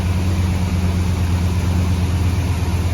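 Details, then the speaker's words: Hemi V8 swapped into a Grand Wagoneer, freshly fired up after the problem was found and fixed: steady, even low rumble at idle, no ticking or misfire stumble; the owner says the motor sounds happy, a normal idle. "The motor sounds good though, sounds happy."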